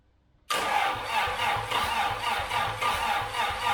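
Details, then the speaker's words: Long-unrun Austin-Healey engine test-started with gas squirted into the carbs and an old Sprite oil gauge fitted; no fuel tank, so it can't be throttled up. It catches quickly into an even, lumpy idle of about 3.5 beats a second, a normal start and idle. "I don't know when this engine was started last, but it's been a while. Sounds pretty good."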